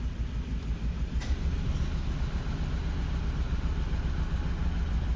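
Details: Suzuki Grand Vitara with rough running and no stored fault codes; scan shows short-term fuel trim 14–17%. Lumpy, uneven idle with a stumbling beat, one cylinder not pulling its weight; misfire from a cylinder with low compression found by compression test.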